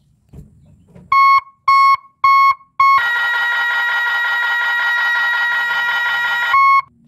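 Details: Three-tone reverse alarm on an Isuzu Giga 24 V truck, testing reverse with brake applied: three short beeps, then a continuous steady warbling tone for a few seconds; combined tone sounds correctly.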